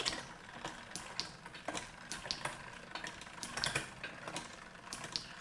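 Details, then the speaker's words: Shimano Di2 rear derailleur after micro-adjustment, inner chainring, cranking through gears: light crisp clicks per shift, no dragging, rubbing or grinding; smooth quiet shifting. "So once we have that, now we want to go through the gears to make sure it sounds right. No more dragging, clicking, grinding."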